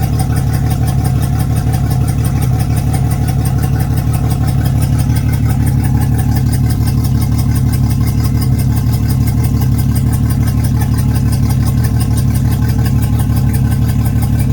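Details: Yamaha F225 outboard idling with a low, uneven, lumpy pulse, about three surges a second instead of a smooth purr: rough idle.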